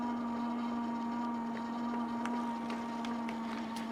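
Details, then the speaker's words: KBO Breeze e-bike hub motor, throttle only at full throttle climbing a steep hill: clear steady one-pitch whine with faint ticks; hub motor whining under load. "But you can hear that motor whining. It is making a whiny noise."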